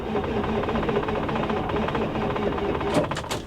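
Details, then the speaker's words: Ford F Super Duty IDI diesel cold-cranks on two booster packs with no batteries, having lost its fuel prime. It is a slow, laboring crank with even, rapid compression pulses that never catches. "I can already hear it's taxing those booster packs pretty heavy. The good news is it cranks over."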